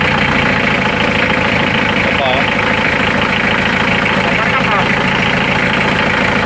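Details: Mitsubishi L300 4D56 diesel idling evenly with rhythmic injector clatter at steady speed, after a no-start caused by a failed fuel shutoff solenoid that had power but would not engage; running normally again.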